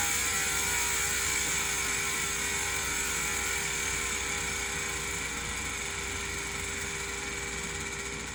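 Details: Industry Nine Hydra freehub after cleaning and greasing, some grease removed: steady even high-pitched buzz, no gritty or rough patches; clean, smooth freehub.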